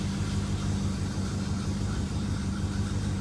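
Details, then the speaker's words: 1967 Plymouth Fury III (383 V8, per tags) idling after restart, hood closed, needed a little gas to start: deep, even V8 burble with steady low rumble, no knocks or misses; sounds really good, running smoothly. "had to give her a little gas there this sounds really good see where the uh tachometer is sitting awesome"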